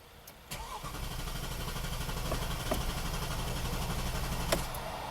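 Starter spins the engine at about four even pulses a second, but it never catches. With no fuel pressure, the pump driver module has failed.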